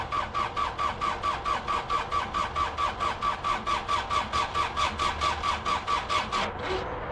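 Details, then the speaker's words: Case 1835C with a newly installed injection pump. Steady, even cranking for about six seconds with no catch; there is no fuel delivery because the tank fuel valve was left shut, and the battery is getting weak. "Got any fuel yet? No fuel yet. Oh, it's because I don't have the tank is off."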